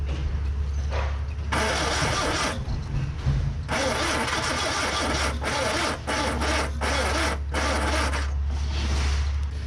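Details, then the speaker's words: Ford Corsair 2000E V4 barn find, sat for years; points cleaned, spark at all four plugs, fuel added, weak battery: starter churns in uneven bursts, never fires. Cranking, no start. "So at the moment in time we have failed to get it started, but we will not be defeated by a little V4."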